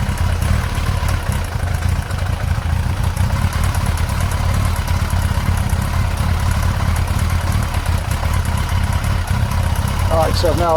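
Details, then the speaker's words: Yamaha XJ900S Diversion at idle during carburettor balancing, after the sync was overcorrected. It has a low, slightly lumpy burble with a faint uneven beat. Rough idle from carburettor imbalance. "so I've now overcorrected. You can hear the bike complaining about it actually."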